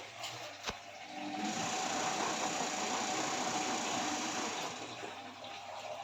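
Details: IFB front-load washing machine after repair fitting a new drum bracket for drum noise: steady water rush and even pump hum, no knocking or banging from the drum; running normally.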